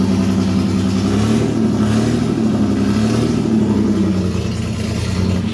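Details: MGC GT's new straight-six engine, oil pump primed and oil confirmed at the rockers before first start: strong, even engine note that rises and settles with a steady beat, no knocks or clatter; normal running.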